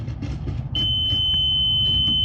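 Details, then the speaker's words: BMW X5 with Comfort Access door lock and gas cap trouble: multimeter continuity test on a rear fuse box fuse gives a steady unbroken high beep over background hum, so the fuse is good; all rear fuses verified fine, fuses 27, 28 and 30 still to check. "okay this fuse is good so I did verify all the fuses at the back they're all fine"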